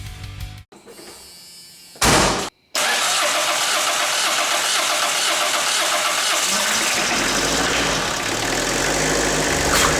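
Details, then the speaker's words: 1984 Ford Escort diesel barn find, non-running, first start on fuel from a can: a couple of cranking bursts, then it catches and settles into a steady, even run with no misfire; normal diesel start. "It fired right off with fuel from the can. Oh my god, it's incredible."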